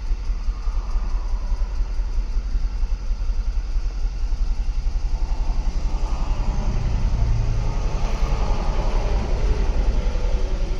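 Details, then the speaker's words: 2013 Audi Q5 2.0 with check engine light, codes for fuel rail pressure too high and supercharger underboost: low idle with an uneven beat, occasional stumbles and a ticking noise; misfire counting on cylinder 2 or 3. "definitely miss far cylinder two seems to be counting up or three I mean hear a ticking noise"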